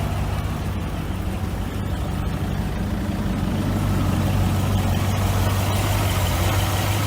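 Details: Ford Transit TDCi diesel idling: heavy low rumble with an uneven, faint chuffing tick about three times a second, from a leaking injector.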